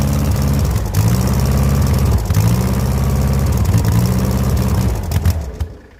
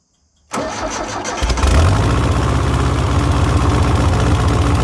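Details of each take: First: 1970s Layton roller compactor, 60-degree Ford Taunus V4: steady starter churn, about three turns a second, with no firing before it stops; crank no start from corroded ignition points. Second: 1970s Layton roller compactor with Ford Taunus 60-degree V4, previously died after about 20 seconds, after sanding rusty points: brief crank, then steady, even, low thumping idle with no misses; starts and runs, fixed.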